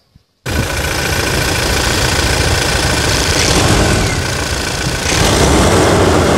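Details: Toyota Hilux at 250,000 km, just after a full service with the automatic transmission oil changed: the engine fires up and settles into a strong, even run with a steady beat and no knocks or rattles. It sounds healthy.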